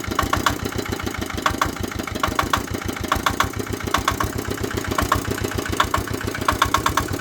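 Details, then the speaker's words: Vietnamese D8 single-cylinder diesel tiller engine, badly worn: slow thump with a steady knock on every beat plus ticking, heavy smoke, burning oil (nearly empty after ploughing about 3,000 m²). "Nó bị giặc khói, ăn nhớt. Cứ cho màu nhớt thì được khoảng 3.000 thôi là gần cạn."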